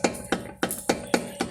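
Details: Toyota Corolla front end: six sharp metallic clacks, about three a second, as a brake pad is rocked by hand. A loose pad retaining clip causes a clunk mistaken for suspension noise over bumps.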